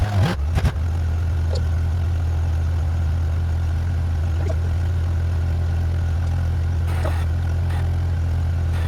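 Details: 1994 Honda GL1500 Goldwing Aspencade, first start in two and a half years after aftermarket fuel pump replacement, choke off: deep, steady low hum after a brief blip, even and smooth, no knocks or misses; idling normally.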